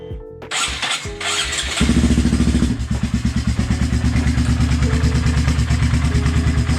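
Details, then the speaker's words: High-mileage (20,000-mile) Honda Grom single-cylinder after rebuild and several heat cycles: starts after a few cranks, lumpy idle with a prominent buzz echoing through the bike. "Okay, so I heat cycled this a few times, and I don't know if the first video had it, but it's starting to have a very prominent buzzing sound, and it's worrying me a little bit."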